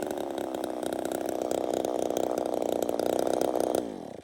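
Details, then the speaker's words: Ported chainsaw cutting firewood, intake timing raised from 67 to 76 degrees and exhaust lowered from 105 to 96: a high, screaming buzz held flat in the cut, then unwinding as the throttle drops. It runs very lean, as the saw prefers. "Sounds like it's just running lean as hell, but that's where it wants to be."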